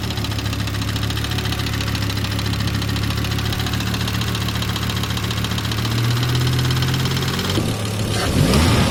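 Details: 1997 Volvo 850R, about 150k miles and 23 years old, idling after oil sump O-ring seals were replaced: steady, even low hum with only a faint tick, rod-knock-like noise now quieter.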